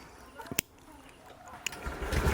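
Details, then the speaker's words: Honda Activa BS6 scooter after its starting problem was fixed (fuse short, wiring checked, loose switch connection refitted): a couple of clicks, then the engine catches and runs up smoothly within a second, no misfire; normal start. "अभी देखिए गाड़ी जो है व start भी हो रहा है"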